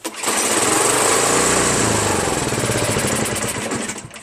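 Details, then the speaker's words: Craftsman 5.5 hp 26-inch OHV snow blower, free machine, pull-started on choke: single-cylinder chugs unevenly, surging and sagging toward a stall. It runs only on choke due to a dirty carburetor. "Yep, only starts on choke. Carburetor's dirty. For sure, bro."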